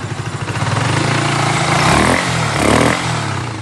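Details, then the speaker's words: Yamaha R15 V2 after engine rebuild; wouldn't start on original tank due to low fuel pressure, now fed from an auxiliary tank, air filter off. Single-cylinder even idle beat with clean throttle blips; normal running, sound described as perfect. "বাইকের সাউন্ডও খুব সুন্দর আছে। মানে sound বলতে একবারে perfect sound, বিটুর sound একবারে perfect."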